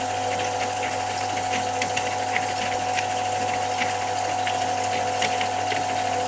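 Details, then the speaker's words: Brandt Stato 46 semi-automatic washing machine, drain before rinse: steady low pump hum with whining tone and irregular light rattles as the tub empties; normal characteristic end-of-drain sound. "Voilà, on entend bien le bruit caractéristique de la fin de vidange."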